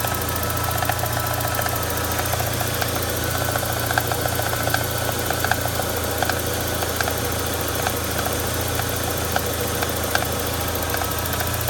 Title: MK1 Cabby Odd Tapping noise